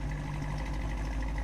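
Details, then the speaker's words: 1968 Ford Mustang GT coupe V8 during a pre-purchase inspection, just started with a little puff of smoke; deep, even rumble with steady beat, no skips or stumbles, no misfires heard; normal idle. "let it idle for a little bit I'm not hearing any misfires all right Tommy you know my goose in a little bit that's good right there we'll let it idle"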